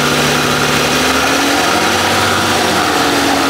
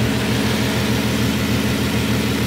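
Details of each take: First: Bentley W12 engine at idle: constant metallic rattle riding over a steady idle without its own rhythm; owners first feared cylinder head or main bearing, but the cause is a worn alternator rear bearing. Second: Bentley W12 engine at idle with the accessory belt off: steady, even low idle with no rattle or knock, purring like a kitten; the earlier rattle is gone, engine runs smoothly.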